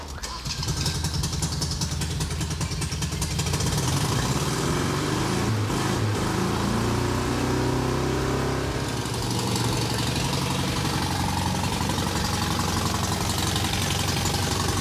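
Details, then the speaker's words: Rusty Datsun with a leaking head gasket, sealed using Vegemite and bacon, fires and settles into a steady, even idle with no knock or misfire; normal running, though an exhaust leak is smelled. "he is running with fim might sealing his head gasket very impressed with you Fred you've done well"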